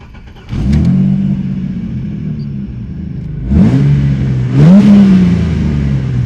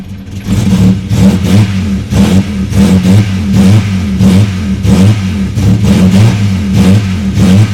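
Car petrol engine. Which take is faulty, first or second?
second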